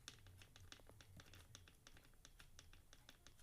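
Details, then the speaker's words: Normal pinion-to-spur gear mesh on an RB modified pico RC car: light, sharp irregular ticks as the gears rock back and forth, the desired backlash "tick" showing proper mesh with no binding. "but anyway they call it the tick you want to have that tick just like Roger told you man in his video"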